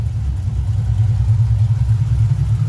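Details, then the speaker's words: Newly installed Ford 4.6 3V V8 in a car with polyurethane motor mounts, first run after install: deep even low rumble with steady firing, no ticks or knocks, very smooth; small driver-side exhaust leak; normal running. "pretty good. I'm amazed at how smooth it is in the car with the polyurethane motor mounts. Super smooth."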